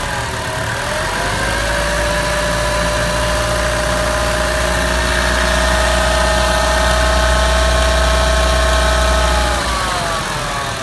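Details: New Chevrolet Trax at idle: buzzy, metallic rattle over the engine note, rising briefly as revs lift; source of the rattle unclear.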